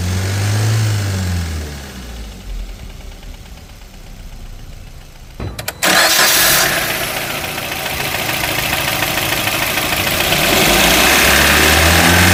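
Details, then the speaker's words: 2021 Maruti Brezza petrol, 50,000 km, engine noise noticed for a long time: fairly regular knock about three times a second, louder when revved; mechanic suspects a bent connecting rod, before engine overhaul. "और engine के अंदर sound है तो sound तो मेरे को काफी देर हो गया नोटिस करते हुए तो मुझे जो लग रहा है और ऐसा साउंड आता है कब जब कनेक्टिंग रोड बैंड हो जाते हैं"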